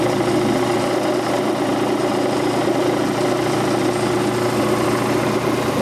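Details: Quincy Model 325 air compressor pump, lower end rebuilt, on tank test run with newly mounted and wired starter; oil pressure 18–20 psi. Steady, even pumping rhythm with no knocks or clatter at constant speed; normal running.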